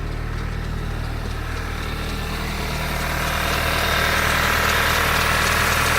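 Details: 2012 VW Mk6 GTI startup and idle: steady lope about 3.5 beats a second, misfire usually on cylinder 3 with cam too advanced/retarded code; injectors, coils, plugs and cam position sensor already replaced, timing reportedly fine.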